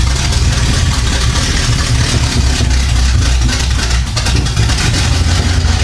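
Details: 1975 Chevy Monza 2+2 with 350 small-block V8 swap, sat about 20 years, after new distributor fitted: loud, deep rumble running on its own with steady low pulses, headers warming, no stalling; normal idle.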